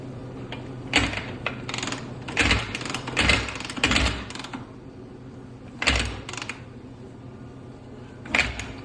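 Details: Honda CRF250R during a rebuild: irregular, sharp, dry metallic clicks and taps from the top end; a loose rocker arm not engaging the cam lobe was found, and the owner wonders whether the piston is hitting a valve.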